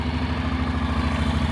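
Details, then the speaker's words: Honda NC750X DCT motorcycle, not run for a few days, fresh oil, recorded up close to the engine: steady even idle thump, valves quiet with no top-end ticking or tapping; healthy. "bardzo ładnie chodzi Proszę posłuchać przyłożę do silnika cichutko zaworów nie"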